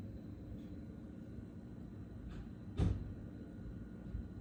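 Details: Brand-new GoldenMate Back-UPS 2000VA/1600W LiFePO4 battery backup: constant low transformer-like electrical hum, not fan noise, periodically pulsing much louder.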